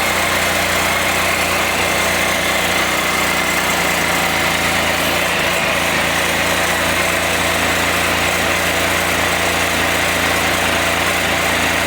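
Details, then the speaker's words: Can-Am Spyder first start after donor engine swap and reassembly, in cold snowy weather, oil and antifreeze topped off, airbox refitted; fast busy idle with raspy ticking puff, owner suspects an exhaust leak. "so let's see if she fires up and just like that sounds like I might have an exhaust leak"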